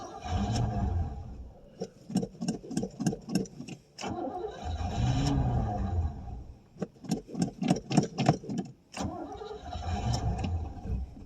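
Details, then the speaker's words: 1989 Pontiac Safari wagon, off the road 18 years, carbureted, first start with very old gas and gauge near a quarter: cranking bursts then short lumpy runs that surge and die; badly lacking fuel. "Yeah, she's just lacking fuel really bad."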